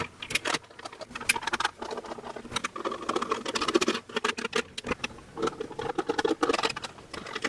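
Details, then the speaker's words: Touch-free soap dispenser that lights up but no longer dispenses soap: irregular light plastic clicks and rattles as it is tipped, suggesting something loose inside, possibly the fault (unconfirmed). "sounds like there is actually something loose in there so that could potentially be whatever's causing the issue i don't think they're supposed to rattle like that anyway"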